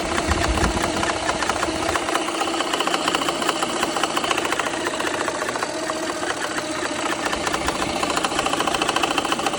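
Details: BMW N54 at idle, busy uneven metallic ticking and knocking louder than injector chatter, remaining after cylinder 1 misfire seemingly cured by replacing that injector; no check engine light; cause unknown.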